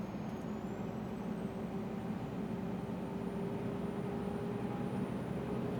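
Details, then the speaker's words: Scania R400 Streamline truck with Scania-remanufactured turbocharger fitted at over 600,000 km: steady diesel drone with a piercing high whine that climbs then holds like a dentist's drill; noisy turbocharger. "Isso entra no ouvido, parece que você está sentado na cadeira do dentista e ele está com aquela maquininha ligada no seu dente ali, aquilo vai entrando no seu ouvido e você vai ficando gasturando, vai ficando nervoso e irritado."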